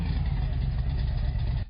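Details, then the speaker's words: Engine running smoothly at idle after installing it with freshly bolted-down carburetors, following a first attempt made without rocker arms; short burst of even low rumble with no knocks or ticks, healthy. "I think it'll run real good. Jeez. For sake. I hope it does. Yes. Sounds good, huh?"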